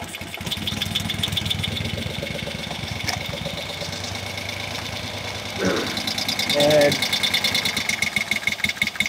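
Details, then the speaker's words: 1971 Moto Guzzi Ambassador twin during a tune-up, just started with fuel on before carburetor adjustment: lumpy, uneven idle at about three soft beats a second; one cylinder barely firing and lugging, dragging the engine. "this cylinder is barely cranking really lugging"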